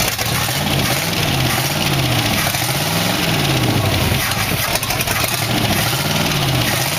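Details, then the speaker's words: 1962 Oldsmobile 392 V8 in a 1914 Dodge Brothers rat rod, after correcting the firing order. Lumpy, loping idle, running on seven cylinders, with light valve rattle on top. Oil pressure is 40 psi; exhaust and gaskets are loose. "well fired up with no trouble had a little valve rattling in it was running 40 pounds of oil"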